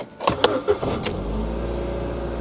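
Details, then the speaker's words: Ford Fiesta Ghia part-exchange car, engine start: a few quick cranking turns, then it catches at once and settles into a steady, even idle with no belt noises, squeal or chirp; normal start. "Sounds good. No belt noises or anything like that. Sounds good actually."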